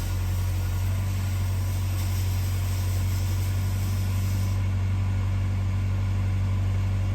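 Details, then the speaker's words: 2008 Chevy HHR 2.2 I4 power-braked in Drive: a low, uneven, lumpy drone from a number four cylinder misfire; it has 60 psi compression versus 120–140 on the others. Swapping the coil and plugs didn't fix it, so the engine needs replacing. "come to find out that number three two and one compression is right around 120 140. number four is at a solid 60."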